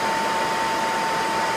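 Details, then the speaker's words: Motor rated 1765 RPM at 60 Hz on a custom single-phase-input VFD from the Wadkin Temple, running at 120 Hz full speed, about 3531 RPM displayed. Smooth, steady airy rush with a faint constant whine near 900 Hz, no knocks or rubbing; very quiet, healthy motor. "35 5 31 RPM very nice quiet motor"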